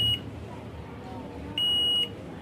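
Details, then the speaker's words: CRT TV with China kit PCB and humming sound problem: steady high-pitched half-second beep from the speaker over faint hiss, a beep that shouldn't occur, traced to a shorted audio section. "तो audio में यह beep की आवाज आ रही है आप सुन सकते हैं बी की आवाज"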